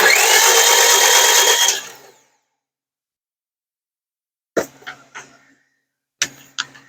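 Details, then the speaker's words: 2005 Honda Civic 1.7 D17A1 that ran 10 seconds and stalled after oil pan and valve cover gasket replacement: a quick, even two-second crank with no compression chuffs, then clicks. Zero compression, marks on the pistons; engine suspected toast. "um all right now it's a zero compression for some reason why that's that's why i need to know i think this engine is toast"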